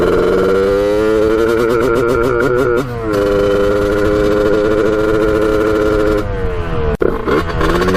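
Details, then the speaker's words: 1989 Kawasaki KX125 two-stroke on its second ride, needle moved to run leaner and air filter off: winds up, then the note wavers and stutters at the top end; still breaking up at high revs, cause unknown. "did the same thing you could hear just breaking up on the top end when you're hitting the high rpms so something's definitely not right"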